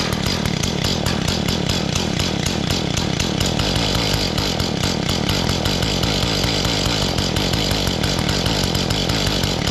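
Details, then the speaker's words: Mantis tiller two-stroke on fresh gas with the choke on buzzes fast and unevenly, never settles to a low idle, then abruptly quits. It seems to run too rich; the low-speed screw was a bit over 1.5 turns out and gets adjusted toward 1. "So it seems like it's running all right. It's just not idling at a low RPM. It seems like it might be too rich."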